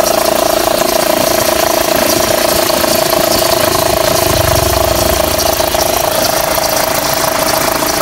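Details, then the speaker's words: Fiat Freemont 2.4 at idle with AC switched on: steady mid-pitched accessory belt squeal under compressor load, wrongly blamed on AC compressor; fix was replacing the overlong 6PK 2575 belt with a shorter 6PK 2563/2565. "Liguei o ar o barulho que já fez E aí galera o bagulho que tá fazendo com preço ação não é baixo rapaz"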